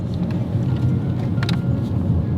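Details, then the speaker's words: Cheap used BMW after suspension clunk fixed with a spacer, 15–20 minute test drive; full-lock 360 turn gives only steady low road and engine rumble, no knocks, bangs or clunks. Normal suspension, no clunk. "I've been driving it round for the past 15-20 minutes now, and as you can hear, there's no knocks or bangs, and there's no more clunking noise."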